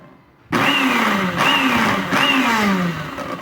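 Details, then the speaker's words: Arno Clic 127 V 600 W blender, fixed by seating the jar properly until it gave two clicks. Three clean pulses of high motor whir, each spinning up and sagging off smoothly: running normally. "Funcionando perfeitamente."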